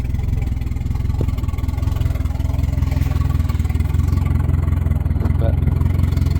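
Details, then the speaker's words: 1992 Volvo 460 turbo just after first start following engine removal and manifold gasket change: even deep thrum with slow steady beat, no hunting or misses; runs smoothly but idle sits a bit low. "no change nothing shirdles a bit low"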